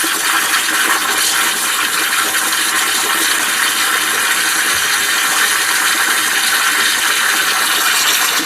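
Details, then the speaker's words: Gemilai 3006Z espresso machine steam wand, about 5 g water gain in 10 seconds, fairly dry: strong, steady hiss, no spitting or gurgling, pressure even throughout; normal steam operation. "So I think the increase in weight the increase in weight after 10 seconds is about 5 g. So which mean to say um it is not exactly a very wet steam wand."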